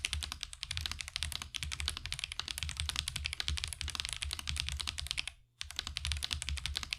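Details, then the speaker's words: Marvo KG972W gasket-mount mechanical keyboard, stock tactile switches, right out of the box: steady typing with a sharp, thin, high-pitched tick on every keystroke, attributed to the tactile switches; stabilizers have little to no ticking. "Overall, it does sound a bit high-pitched and ticking. I'm pretty sure that's because of the switches that are causing the ticking that you hear that makes that really high-pitched sound,"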